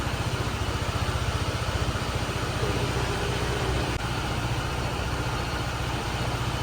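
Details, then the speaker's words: Honda ADV 160 CBS 2022 scooter, one month old, idling on the centre stand: rough, uneven low drumming with buzzy shake; owner says idle vibration is severe, worse than his Aerox, unsure if only his bike; excessive idle vibration. "Tapi ini yang jelas getarnya pas lagi di standar dua gini parah banget bahkan aerox Gua aja nggak sekedar itu"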